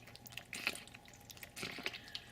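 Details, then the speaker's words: Marina breeder box air-lift, air pump drawing water, lid off, sponge stuffed in the outlet to muffle it: loud cyclical sucking with irregular watery gurgles and splashy pops; noisy air-lift, muffling unsuccessful. "It's kind of like a sucking sound, and it's very loud. I'll just take the lid off just so that you guys can hear it."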